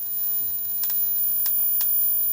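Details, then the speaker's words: Philips 34cm CJ414 portable CRT TV just powered on: sharp, irregular high-pitched snaps over thin steady whine, EHT arcing around the tube's ultor/anode cap, no sparks visible. "Okay, so I've got the power cord attached. Ooh yeah, I can hear that crackling."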